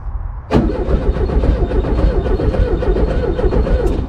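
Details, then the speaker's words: Abandoned 1974 VW Super Beetle, starter jumped with jumper wire in neutral: sharp click then engine spins over fast and even with strong low chug; starter and its wire good, corroded relay connections suspected upstream. "it's spinning over really fast so our starter is good wire to the starter is good too"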